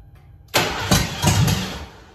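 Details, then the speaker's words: Car nicknamed ABE, new fuel pump installed and tank cleaned, only about 1.5–2 gallons of fuel: starter cranks with a few uneven chuffs but never catches; the pump could not pick up and return fuel, causing fuel starvation. "Close. Prime the pump a couple more times. About a gallon and a half wasn't enough to have the pump pick it up and return it."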